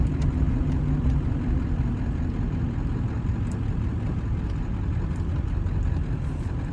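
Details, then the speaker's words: 1997 Ford F-250 XLT 7.3 Powerstroke diesel, 5-speed manual, 4x4, 69k miles, slowing around a corner: only low road rumble and engine drone, no squeal, grind, clunk or pop; brakes working quietly. "the brakes don't make any noise at all they don't squeak or grind or cause any kind of clunks or pops which you can hear for yourself as i slow down around this corner"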